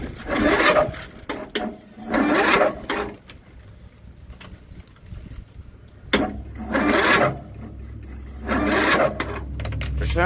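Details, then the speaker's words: John Deere 102 riding mower cold start at about 8°F after 20 minutes on battery charger: several separate bursts of starter cranking with pauses, engine never catches; owner blames the cold, cause unconfirmed. "It's probably cuz it's so dang cold. But cuz it's like 8° out, so I understand."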